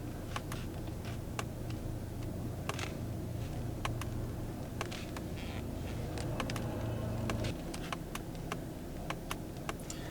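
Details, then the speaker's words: BMW X3 M40i cabin, door closed, AC off: faint irregular plasticky ticks near steering wheel trim, three or four a second, not fixed by dealer service bulletin work; owner suspects the plastic trim or a misinstalled clock spring. "hear it and I believe it's something to do with this plastic because it sounds like when you're pressing it sounds like that but it's more of like the inside of the plastic itself it could be the something to do with the clock spring as well if they didn't install it correctly"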